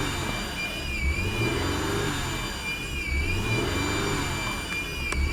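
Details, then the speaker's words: 2000 Acura TL after knock sensor replacement: idle surges every two seconds with high-pitched whistle from AC compressor side; owner suspects broken vacuum hose elbow, unconfirmed. "there's a high-pitched whistling and that's where it starts to surge"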